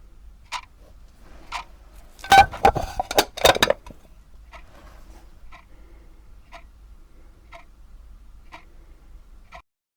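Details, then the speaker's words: Daiso 110-yen alarm clock with step-type quartz second hand, recorded on a separate IC recorder: crisp, light once-a-second ticks with a brief early clatter, normal step-movement ticking, compared with the clock housed in a sponge-isolated clear case to quieten it. "クォーツの秒針の動作には２種類あり、音が気になることがあるのはこのステップ式です。"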